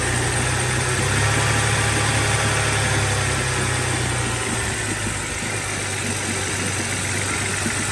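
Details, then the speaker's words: BMW 325i E90 N52 after many parts replaced to cure rough idle, second start: idle shakes and stumbles, drone dipping and wavering; still misfiring, cause unknown, codes to be scanned. "Okay, this time started better, but it's still misfiring. So yeah, as you can see, the car is still misfiring."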